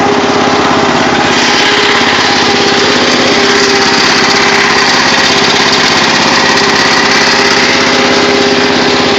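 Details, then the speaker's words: Murray riding mower with a rebuilt engine, running on a cold 50°F day before a test run: a steady, even chatter with no misses, knocks or surging, running smoothly; it smokes a little but has plenty of power. "It's upsetting that uh but the engine runs really good after the rebuild and uh she does smoke a little but she's got power for days so that's all I care about"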